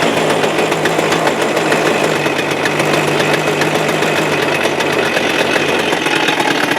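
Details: Suzuki Address 110 engine, loosely sat in the frame with nothing bolted, starts first pull, and a busy, constant, fast metallic rattle rides over the steady idle, unchanged, so the motor must come apart.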